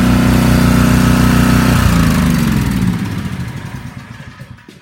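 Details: Generac 4000 XL generator, run a few times a year to keep it working: steady, even drone with a smooth regular beat, then slows and coasts to a stop at shutoff; running healthily.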